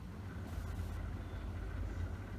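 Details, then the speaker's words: Leslie 145 rotary speaker after servicing the rotor bearing, reassembled and started: smooth, even low rumble with no grinding or rattle, definitely quieter than before. Normal rotor running. "yeah. That's definitely quieter, isn't it? Top job."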